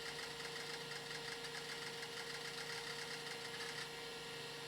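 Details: Original hard drive from an Amstrad PC2286, connected to a more modern PC during a big copy for backup: rapid irregular clicking and chattering over a steady high spinning hum as the heads seek hard; sounds like a healthy old drive.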